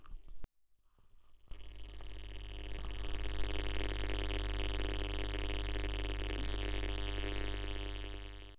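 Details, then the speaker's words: Flatscreen TV used as PC monitor, microphone held to speaker on black screen: loud, steady low buzz with rough overtones, power supply ripple (AC component) getting into the audio output. "never given me any trouble recently it started making a weird buzzing noise"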